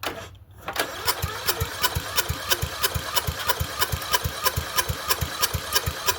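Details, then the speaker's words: Murray Select 30-inch riding mower, start attempt before repair, on a battery pack: steady starter chug about three turns a second with no firing or catch; turns over but won't start, carburetor to be checked next. "Okay. Uh, I wanted to see if it would do something. At least it turns over."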